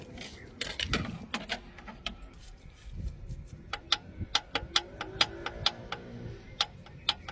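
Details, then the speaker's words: 2014 Mazda CX-5 2.0 diesel, silver metallic filings in drained oil: sharp metallic knocks about two per second at idle, traced to worn big end bearing on cylinder number three (rod knock). "So, our noise was coming from the big end that is on cylinder number three. This is where ticking sound was coming from."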